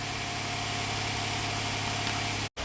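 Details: 2016 Hyundai Santa Fe just after replacing broken GDI fuel injector #5 with new Hyundai OEM part: first start, smooth steady idle with even low pulse, no stumble or tick, heavy smoke expected; normal idle.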